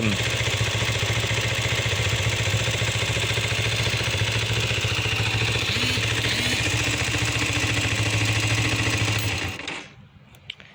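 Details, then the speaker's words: 2000 Kawasaki Ninja 250 with replacement engine, after sitting 14 years, idle mixture adjusted: quick even idle pulse about three or four per second with a smooth buzz, then shutdown; healthy. "I adjusted the idle the idle mixture is a little bit better than that it just ran which is sick um has a nice a nice idle it's not too loud"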